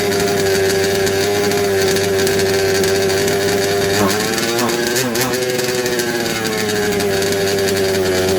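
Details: Second-hand 1/5 RC Baja two-stroke after carb and gasket swap, spark good, earlier flooding: steady high drone that dips and stumbles briefly mid-run before recovering; runs poorly, can't be tuned, cause not confirmed.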